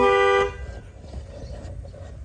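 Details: 2003 Isuzu Panther Touring Turbo manual: clean steady horn note for about half a second then quiet; horn working normally.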